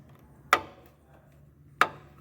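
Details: 2017 Renault Sandero 12V three-cylinder, about 70,000+ km, cylinder head already redone, engine off: camshaft pushed and pulled by hand gives two sharp metallic clacks; worn cam thrust bearings allow excessive camshaft end play, causing engine noise.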